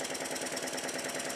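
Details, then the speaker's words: Model Stuart triple-expansion steam engine after new individually adjustable eccentric sheaves on high-pressure cylinder valve gear, valve timing only roughly set, now running in reverse, on hollow amplifying unit: fast busy clatter, hollow drumming, uneven beat; incorrect valve timing. "these are only rough adjustments of the valve timing and as you can see the engine also now runs in the opposite direction which is more than I could successfully get it to do with the 30° eccentric pair"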